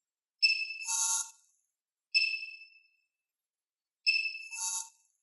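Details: Mavic Pro Platinum drone gimbal, new out of the box, gives three short high-pitched screeches about a second each when tilted to 90°, not on every tilt; owner also reports mid-flight gimbal freakouts and resets.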